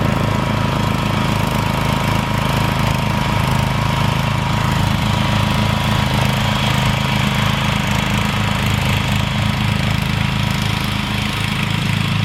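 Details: Rebuilt Troy-Bilt mower cutting grass, after new piston rings and a brand-new carburetor adjusted about half a turn. Strong, steady engine drone holding speed with no misses or knocks; normal running under load.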